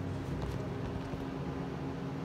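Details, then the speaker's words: 1990s Miller Econotig after a master switch replacement and wiring fixes, TIG welding steel in DC negative: steady even hiss over a low hum with no popping or wandering, a normal stable arc. The problem is in AC aluminum mode, not DC. "simply just showing that the machine is doing what it should do in dc negative"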